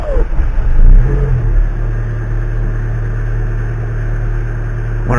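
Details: Peugeot 206 S16 after manifold repair for vibrating cross-brace: engine catches after a short crank and settles into a low, steady idle with no rattle or buzz.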